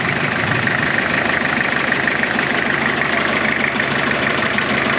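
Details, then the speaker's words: Diesel engine running in gear after a day's work: steady knock about twice a second with slight rattle, engine jumping on its mounts; previously smooth, source unknown, possibly power takeoff, gearbox, mounts or shaft. "No. It should not be knocking like that. Before it was nice and smooth, so I don't know if it's a power takeoff, gearbox, the feet or the shaft."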